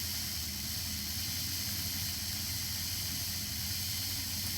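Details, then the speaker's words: Hornby R879 Mighty Mallard model locomotive after repair and re-commissioning, running for quite a while. A quiet, even motor hum with a light steady hiss and no knocks or stumbles; it powers along quietly and responsively. Normal running. "so there we go rather wonderfully been running for quite a while now and you can hear that is just powering Away really quite quietly as well and it's responsive"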